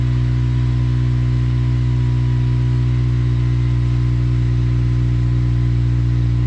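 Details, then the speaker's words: 8th-gen Honda Civic Si (FG2), idling after a cold start to check exhaust volume and leaks: smooth, even, low idle hum with no puffing or ticking. Stock-sounding exhaust with no obvious leaks; normal idle. "yeah sounds like stock which is good no obvious leaks"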